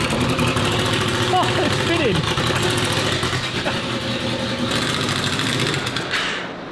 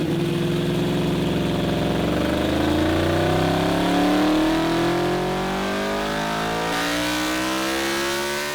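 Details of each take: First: Honda VFR800 782cc V4 VTEC, first start after fitting a universal Temu turbo with modified gravity-fed oil drain: uneven, hunting idle that won't settle; running rough, said to be not getting enough (likely air). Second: Stock Honda VFR800 782cc V4 VTEC at full throttle on a dyno, making 106 hp at the wheel: smooth clean rise in pitch through the revs, brief lift and a second pull; strong, even running.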